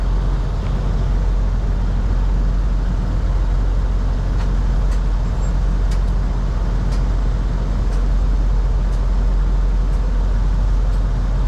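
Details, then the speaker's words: Truck diesel running after a jump start for a no-start, batteries down to about 11.3 V, probably something left on: steady deep diesel idle with even firing, no knocks or misses; normal idle. "Up and running. I don't know, he's got to keep it running for a while."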